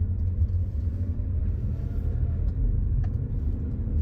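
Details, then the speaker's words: Car driving on same road after fixing rear seat rattle with Velcro (fluffy side) where seat latches meet brackets: steady low road rumble, rattle gone. "check this out I'm driving on the same road and the rattle is completely"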